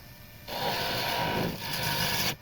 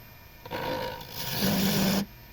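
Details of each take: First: Beech dibble turning on a lathe: steady, even scraping rasp for about two seconds with no chatter; smooth cut while the workpiece is well supported, before the unsupported skinny end vibrates. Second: Wood lathe turning a beech dibble's skinny end: rough scraping cut with a low buzzing hum building as the tool bites; chatter vibration from the unsupported end of the workpiece.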